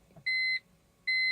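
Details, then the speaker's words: SMG car in neutral with brake pressed: two clean high beeps about a second apart, no starter motor or cranking at all; no-crank with warning beeps. "Trying to start the car. Place it neutral. Brakes. Nothing."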